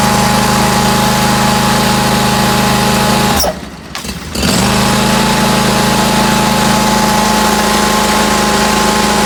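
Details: 2019 Bradley 36-inch stand-on mower fires up with brakes on and settles into a smooth, even run with a steady tone, no knocks or misses. Normal start and idle.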